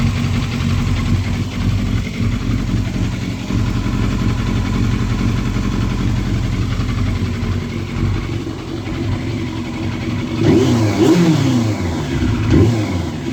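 Four-cylinder idle sounds uneven and stumbling, with a ragged rev near the end; a misfire, cause not found.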